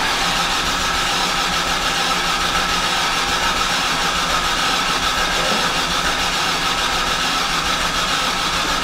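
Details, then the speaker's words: 2007 Hyundai Santa Fe 2.7L no-start, cranking while cam/crank scan data is watched: nine seconds of steady cranking, spins freely but never fires; bank 2 cam reading hints at possible timing belt problem. "거의 시동 될 번 했죠"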